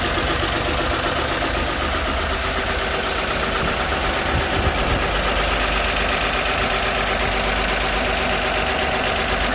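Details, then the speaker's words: 1960 Grumman Olson Kurbside step van 235 engine, first run since 1992, cold idle around 30s °F: light, fast metallic chatter about four per second over a steady idle; the valve cover isn't bolted down and rattles. "little bit of rattling from the valve cover. I don't have it bolted down."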